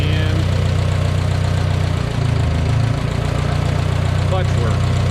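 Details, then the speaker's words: 1969 Minneapolis Moline U302 tractor after engine rebuild, oil pressure confirmed: smooth, even low rumble at steady idle with no knocks or misses; freshly rebuilt engine sounds healthy. "But I do have oil pressure because I have good oil coming up to the valve. So pretty happy. Engine sounds really good."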